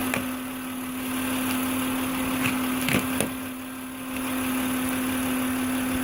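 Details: 2006 Acura MDX with the 3.5L VTEC V6 at idle: steady, constant-pitch whine over the engine from the old, failing alternator.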